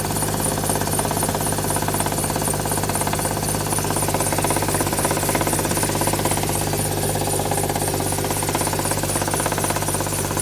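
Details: Used Hyundai at idle after adding Lucas oil stabilizer to the crankcase: steady light knock about three per second, unchanged after five minutes.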